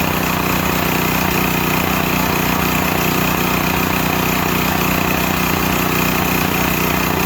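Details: Used Stanley 8000 W all-weather generator, sat four years, started on starting fluid, meter reads 52 Hz and 7 (possibly 7 hours), new air filter; mic farther away, even steady governed drone, no hunting or stumbling, works fine.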